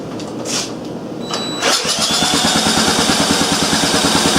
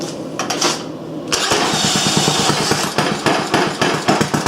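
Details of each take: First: Briggs & Stratton engine run on a makeshift setup: a few weak starter turns, then it catches and chugs unevenly at about three beats a second; low compression, later traced to no intake valve clearance so the valve wasn't sealing, valve job planned. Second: Old single-cylinder Briggs & Stratton on bench with new Champion J8C plug and external coil: short crank, catches at once, settles into even regular putter about three beats a second, cold; normal running.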